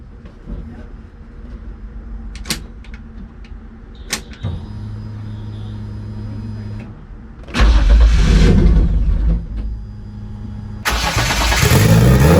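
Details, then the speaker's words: Turbo BMW E30 on E85, first start after ECU install with only injector data and required fuel changed: rough, unsteady idle sagging between throttle blips, held up on gas; leans out and won't hold idle. "Now it will not stay idling. I have to give it gas and hold the gas to find the sweet spot to keep it idling, but as soon as that idle starts to settle anyways, the car just leans out and dies."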